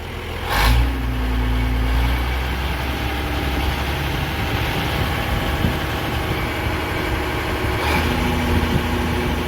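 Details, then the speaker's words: Versatile 800 tractor diesel idling with new muffler fitted, replacing the roughly 50-year-old old one: steady low idle, even beat, no rattles or misses; normal idle after repair. "No, it doesn't sound as nice, but it does do the job. It sounds a little bit better anyway."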